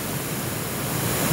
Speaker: now the output 56 is not connected currently and white noise not too bad considering the extreme conditions of full volume everywhere but white noise